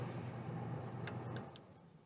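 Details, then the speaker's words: 1990 Chinook 18+ camper on shore power, roof air conditioner fan turned up and switched to cool. A steady low hum with an even fan rush and no knocks or rattles as the compressor kicks in, not too much noise; running normally. "it's really starting to go now don't turn it on to cool you'll hear it buckle down and the compressor turn on not too much noise"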